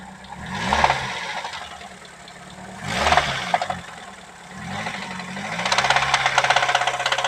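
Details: Nissan SR20DE knocking at start and after warm-up, noisy since using ENI oil: irregular knocking and rattling that grows louder on each throttle blip; a bearing shell is suspected.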